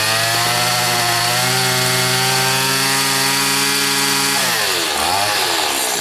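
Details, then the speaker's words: Stihl FS80 two-stroke trimmer after a carburetor rebuild, with the mixture screw set 4 turns out. It screams steadily at high revs, then sags and drops off sharply; it still bogs under throttle. "Let's see if we still have a bog issue here."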